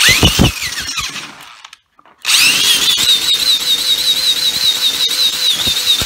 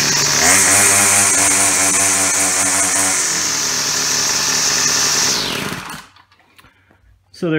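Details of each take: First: Yard Machine Y2510 string trimmer with broken plastic pull-start part, spun counterclockwise by drill on trimmer head while tapping throttle: rising drill whine, no firing, cranks but fails to start; needed more priming. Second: Yard Machine Y2510 two-stroke string trimmer started by drill with hole saw after broken pull-start, primer pumped: steady high buzz holding even revs several seconds then winding down; runs cleanly.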